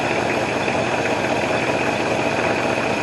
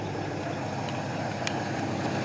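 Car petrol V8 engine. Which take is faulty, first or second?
first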